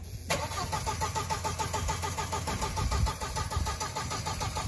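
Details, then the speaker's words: 1.8T VW Passat B5 fitted with a junkyard ECU flashed with a stage 1 tune: the starter cranks steadily, about two beats a second, but never catches; it apparently hasn't got past the immobilizer. "oh we didn't get past the immobilizer yet all right try again try to start it that's all it does you can't hold it longer"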